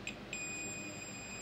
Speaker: Nah, di port USB-nya di sini ini tidak normal. Kalau saya ukur antara pin out USB-nya ini terhubung, Teman-teman.